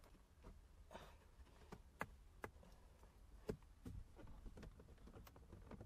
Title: Toyota prius generation 3 right rattle noise